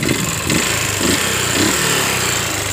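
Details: Yamaha Jupiter MX 135 running with heavy exhaust smoke: harsh, uneven gritty rattle from the top end over the exhaust beat; oil found empty, radiator dry, and water pump bearing destroyed.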